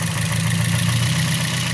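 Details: Toyota Vios at idle, many parts already replaced without curing a severe misfire: rough, stumbling idle with uneven beats and dropped pulses under the steady drone, strong shaking; one cylinder is missing, traced to a bad fuel injector.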